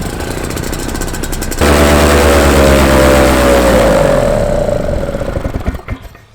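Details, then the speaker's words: Paramotor during the run-in, warmed up, cylinder head temperature 180: the engine runs hard, then sags and stops within seconds; the fuel pulse line had come off the engine, starving the carburettor of fuel. "it looks like it's this pipe here so all that's happened is it's come off the engine here"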